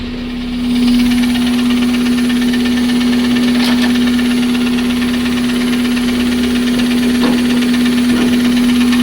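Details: Toyota Corolla 7AFE petrol engine idling with a fast, fairly regular knock about three to four a second over a loud aftermarket intake; rod bearings, valve clearances, timing set, belts and pulleys checked or replaced; 55 psi oil pressure; cause unknown.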